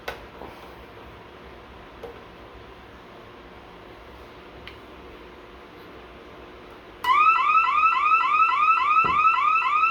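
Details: Bosch/Radionics 4012/8012 alarm panel demo, armed then front motion zone tripped: quiet room, then loud rising siren warble about three to four times a second, panel in alarm.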